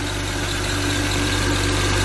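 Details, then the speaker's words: E46 BMW 330i M54B30 with M50 intake and cone air filter, 135,000 miles, cold start: faint thin squeak over a slightly rough idle from the old, cheap water pump; the squeak goes away as it warms up. "okay there's a hint of the roughness the squeaking when it does that it's the water pump on this it's old and very cheap"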